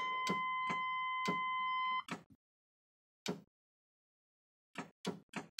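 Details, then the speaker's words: 1998 Flair motorhome, GM ladder chassis with a Vortec 454 big block, cold start tried on the auxiliary start switch with the auxiliary and chassis batteries flat: quick regular clicks about four per second, then scattered single clicks and no cranking. Starter clicking from a dead battery. "that's not good so we no power whatsoever okay probably not gonna get much of a jump difference here"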